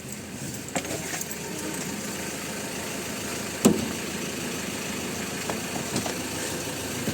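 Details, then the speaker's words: 2014 Ford Ranger after camshaft position sensor replacement (original part) for a no-start: catches on one crank and settles into a steady, even idle, no check engine light, a few handling clicks; normal idle. "Ayan sir umandar. One click. Walang bomba-bomba. Good job."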